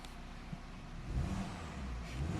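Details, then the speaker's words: 2003 Volvo XC70 Cross Country AWD wagon turbo engine revving: deep, even note swells as throttle opens, smooth with no knocks or rattles; plenty of power, no warning lights. "fantastic. Plenty of power with the turbo motor."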